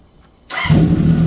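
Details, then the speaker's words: Honda CB750 cafe racer after carburetor rebuild, new spark units and front brake caliper rebuild, not yet warmed up: catches in under a second and settles into a steady, even four-cylinder idle with no misses or knocks; normal start and idle. "Well, she's back. She runs. You heard it first."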